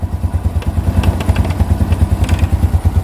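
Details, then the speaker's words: Honda Revo Absolute after cam chain replacement: a small single idling with an even, steady putter and no chain rattle; the fault was fixed and the idle is now smooth. "Saya jamin ini sudah halus karena gantian sudah diganti ya penyakitnya sudah ketemu dan sudah diganti langsung saja kita hidupkan"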